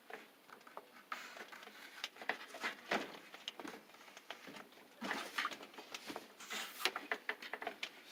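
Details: LG WT1501CW direct-drive washer, under two years old: short, irregular chirping squeaks as the drum, loaded with clothes, is turned by hand with the machine off; weight seems to worsen the squeak; drum squeak, source undetermined.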